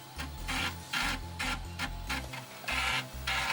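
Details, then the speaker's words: Amiga 600 floppy drive while loading a disk: rough crunching bursts with low stepping thumps, about two per second, with a noticeable Furia accelerator fan nearby; grinding noise, owner says the drive needs lubrication. "you can probably hear once the floppy drive like stops crunching it really needs lubrication"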